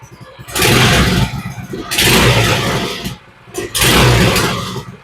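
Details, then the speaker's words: Baja minibike (first thought to be a Coleman 200), run with the choke on after fueling: single revs surge strongly and drop back to a low idle, pulling clean with no sputter or missing; runs well, idle left deliberately low. "I don't know if she's got brakes or anything, but she's got a motor. And she sounds pretty good. She's idling a little bit low, but I think for this style, I want to get it to idle as low as I can, so I'm going to leave that alone."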